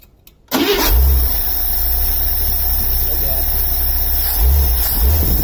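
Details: 1978 Scout II 345 V8 with Holley 2210 carb, after the off-idle stall fix (power valve piston vacuum leak blocked, jets drilled to 0.041): a quick crank catches at once and settles into a steady rumbling idle with a brief blip and no stall. It is a normal start and idle.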